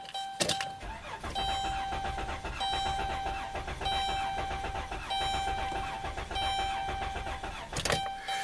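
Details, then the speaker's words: 2011 Dodge Grand Caravan 3.6 L Pentastar V6, 146k miles, misfiring and rough: cranking with clear-flood (pedal floored) has uneven lopsided rhythm, indicating a compression problem; suspected valve not sealing. "Yeah, it's a compression problem."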